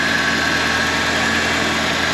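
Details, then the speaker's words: 1986 Ford Mustang SVO idling after refilling about two gallons of coolant and burping it to get the thermostat open: steady even idle, no ticks or misses; some smoke, slight oil burning from an unidentified leak, owner unsure if valve cover; runs good. "there's a little bit of oil burning it kind of does that it's I don't know if it's the valve cover or something else something leaks on this and I can't figure out what it is but anyway it seems to be running good"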